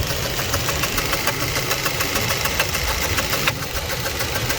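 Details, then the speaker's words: 2004 Jeep Liberty Renegade at idle: sharp light clacking about 3.5 per second over steady idle, side not yet located; later found to be a dropped rocker arm from a collapsed hydraulic lifter. "It'll fit fine there. There, that's good. So you can hear it starting to clack now."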